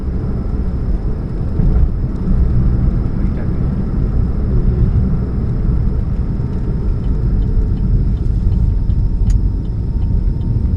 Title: What's that Humming Sound, Catalytic Converter Leak, 2013 Chevrolet Spark, 29 July 2015, GP049051